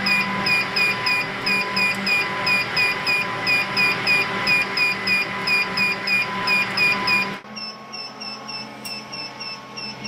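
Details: Rapid chirping alarm, about three beeps a second, over steady fan hum as a smart switched power distribution unit demo box is driven past its three-amp current limit to about 3.2 amps with AC fans on; overload warning.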